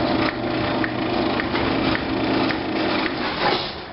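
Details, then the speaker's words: Residential garage door opener after tune-up and belt adjustment: even motor hum with light regular drive ticks as the door travels, no squeal or clunk; running quietly and smoothly. "it's running pretty quiet"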